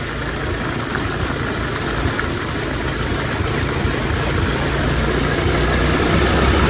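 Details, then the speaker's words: Revived Tao Tao 125cc ATV quad with a new carburetor, ignition switch, stator and pickup, ridden slowly in the rain. The small single's smooth, even drone climbs slowly with speed, with no ticking, knocking or stumbling. Super quiet, healthy engine. "I'll be honest I didn't think I'd get this going super quiet though super quiet"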